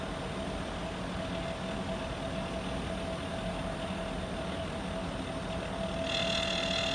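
Steady mid-pitched tone rides over a rough fan rush, with a higher ring joining near the end: abnormal noise, cause unknown.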